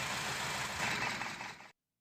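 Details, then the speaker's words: Honda CR-V idling unevenly with no check-engine light: lumpy, stumbling beat, one cylinder dead; unplugging cylinder 1 coil leaves rpm unchanged, so cylinder 1 misfires, with its coil about to be tested as the suspected cause. "Sekarang kita lihat di silinder nomor 2, ternyata putaran mesin langsung berubah. Jadi kesimpulannya silinder yang nomor 1 tidak berfungsi dan akan kita mulai dengan menguji koilnya."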